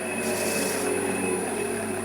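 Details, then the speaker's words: Wood lathe turning the inside of a bowl: steady hissing rub with thin high ringing over a low hum as a part of the lathe loosens itself and rubs the bowl rim. "Il se dessert, donc là on entendait un bruit bizarre parce que ça frottait le bord de mon bol."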